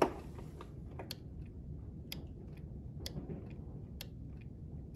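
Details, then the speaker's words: Craftsman tractor, Briggs & Stratton single-cylinder OHV engine, cranks but won't start. With power confirmed at the fuel shutoff solenoid on the carburettor bowl, it clicks crisply as the key is cycled on and off, about once a second; the solenoid works. "and obviously it's clicking on and off you can hear that so i know that works"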